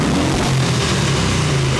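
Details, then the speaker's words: 1989 Harley-Davidson Ultra Classic Tour Glide Evo V-twin after a carb clean, warming up on choke. It gives a deep, steady rumble at a fast idle with no knocks and sounds healthy, but it dies off choke. "God, that sounds super healthy minus the, you know, rubbing out and dying."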